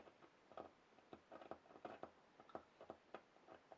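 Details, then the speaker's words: Late-1920s Jensen Type D Model 4-AC electrodynamic speaker, crackle test by touching a 9-volt battery to the leads: faint irregular pops and crackles with a nice deep sound; speaker is very good. "not only does it pop and crackle but it's got a nice deep sound to it so that tells me that this the speaker is actually very good"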